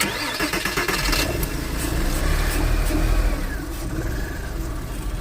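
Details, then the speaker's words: 2002 Porsche, manual, vandalised in a break-in: the engine catches and revs, then settles into an uneven, lumpy idle. Rough idle comes from damaged wiring; it also needs a coolant sensor and soon starts misfiring. "and so that electrical issue is causing it to rough idle"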